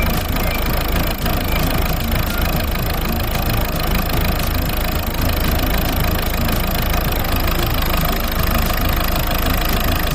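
Diesel idles with an uneven, lumpy clatter and irregular pulses around 1100 rpm, a rough idle, possibly from a leaking injector.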